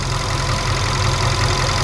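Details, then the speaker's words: VW Polo R Line 1.2 TSI petrol after timing chain, spark plug and air filter replacement: even, steady idle with no knocks, rattles or hunting, running smoothly. "I'm going to rescan it again now but it's definitely running a lot better on now"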